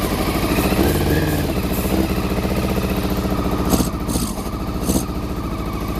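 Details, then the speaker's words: Honda CBR400RR NC23 four-cylinder idling after no-spark troubleshooting: lumpy, uneven loping idle with missing pulses; only cylinders one and two firing, three and four stone cold, water leak noted. "believe it or not that was only firing on cylinders one and two um because that's hot that's hot them to a stone cold so uh so three and four are not firing"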